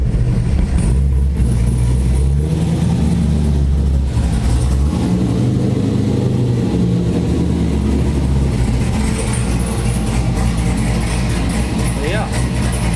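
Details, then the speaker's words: Corvette C6 LS V8 after failed-lifter replacement, fully reassembled: deep, even rumble rising and falling smoothly with the throttle, no lifter tick; engine healthy. "everything's buttoned back up not having any issues with the car let me go and pull it back in the garage no lift or tick running rather nice"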